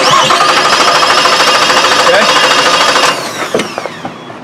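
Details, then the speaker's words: 2006 Suzuki Forenza with a weak spark from one waste-spark coil, cranked with the engine disabled: an even, steady chug about three beats a second, showing good compression in all cylinders. "Pretty sweet, that sound, right? Awesome. One more time through the edits. Here's what it sounds like. Good compression."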